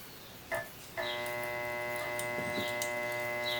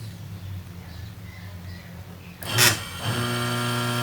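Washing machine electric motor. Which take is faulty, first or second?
first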